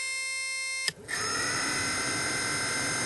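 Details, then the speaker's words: 2010 Ford Transit van HVAC blower motor, key on, highest fan setting, powered directly with a power probe: harsh, hissy buzzing after a click, an abnormal internal fault; water seen dripping from above, water inside suspected. "and you can hear that buzzing noise from the uh motor that's not a normal sound that's actually something wrong inside there"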